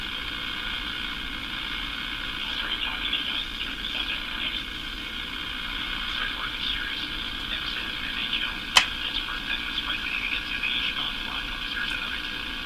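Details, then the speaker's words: Crosley Model F-5 radio with volume turned down: hissy, crackling, distorted garble with no clear programme. No change with the power-supply test, so the fault seems not to come from the power supply; cause still unknown. "Volume's turned down on the radio. What's this? >> It's just his garble."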